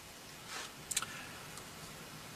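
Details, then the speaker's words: GM column lock tested with a Tech 2 scan tool, key on, lock command issued: a few sharp quiet clicks about a second apart as the column lock relay changes state normally. "if we try to lock the column you'll see just one of these actuators States change can also hear the relay change States"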